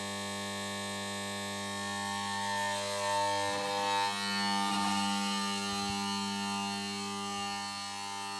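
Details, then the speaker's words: Magnetic ballast in a Mazda Esthelux 400 luminaire with a BF 250 lamp: steady mains hum with a bright buzzing edge that changes strength as the lamp is repositioned, since placement alters vibration; ballast begins calming as the lamp reaches full output. "Voilà, et aussi en fonction de comment on la place, les vibrations sont pas les mêmes."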